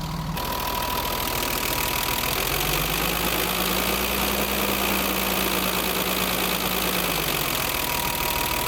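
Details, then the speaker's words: BMW 325i E30 M20, cold engine idling higher than before after valve clearance adjustment to factory values: light fast uneven tappet ticking, noisier than before; owner puzzled, plans to redo it. "ouais maintenant on est bien mais je trouve que le clic est pas mal"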